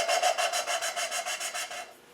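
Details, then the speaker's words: V8 cylinder head valve hand-lapped with fine cutting compound, no oil on the guide: rhythmic back-and-forth rasping, about five strokes a second, fading smoother and quieter as the valve and seat bed in evenly. "lift lift and separate and you'll hear the the noise the grinding it starts to go quiet now"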